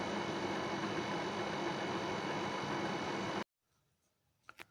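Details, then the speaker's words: New Nedis WiFi dehumidifier DEHU20WTW: steady loud rushing hum with a rough buzzing edge from the fan alone, compressor not yet running, lasting three seconds then cutting out; excessive fan noise on a brand-new unit. "here is my new NIS the humidifier when I turn it on it seems like it's a diesel engine brand new it makes all these noise just from the fan and it's uh compressor is not even running yet"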